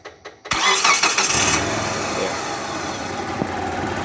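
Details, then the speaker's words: Distributorless engine that would not start all day from a faulty TDC (cam position) sensor socket, so the ECU could not find cylinder 1 compression: after refitting the sensor, a few cranks then it catches and settles into a steady, even normal idle. "sudah normal lagi hidupnya"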